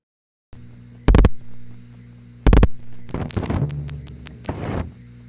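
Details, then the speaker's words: Panel telephone switch: dial tone heard while AC relay operated, stops when it releases and moves to B digit; two short clicking bursts of remaining digits, then flurry of relay and selector clatter; normal. "While the AC relay is operated, you will hear dial tone. Once the AC relay breaks, and we move to the B digit, dial tone goes away. Then we dial the next two digits."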